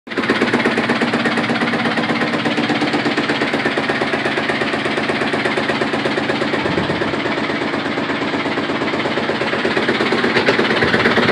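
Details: Direct-drive Samsung washing machine in its final spin cycle, with rapid violent hammering, strong vibration and even a burning smell. The cause is a broken brittle cast spider arm inside the drum, fixed by replacing the spider arm assembly.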